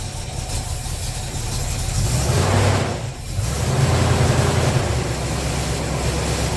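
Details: 350 Chevy V8 truck after intake manifold gasket and fan clutch replacement, first start: steady low idle with one quick throttle blip settling right back, even, no ticking or puffing; running well.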